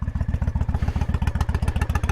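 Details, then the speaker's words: 1998 Honda Shadow 1100 V-twin with stage street kit, cold start on choke; deep, even, loping potato-potato thump at about ten beats a second, a healthy cold idle. "there it is it is cold but you can hear it sounds nice"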